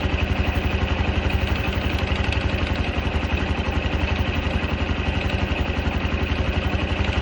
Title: カブ110 JA44 ガラガラ音 異音？